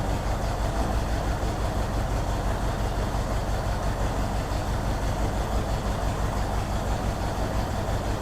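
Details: 1964 Ford Thunderbird V8 at idle, about 5.5 V at coil: loud idle with uneven, lumpy pulse about three beats a second; misfire suspected, possibly caused by bad vacuum leak at carburetor-to-intake spacer gasket, not confirmed; oil pressure a little low.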